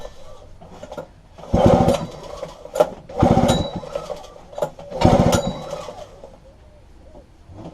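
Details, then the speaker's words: Robin EC10D 98cc Japanese two-stroke stationary engine, flea-market find, fuel poured down the plug hole after cleaning points and condenser: three pull-start strokes, never fires; spark present, owner suspects plug or low compression, fuel in tank rotten. "no there is a spark getting to it could be the spark plug okay we checked the spark plug off and change that little okay I have a suspicious feeling that the machine doesn't have an enough compressor in it to fire"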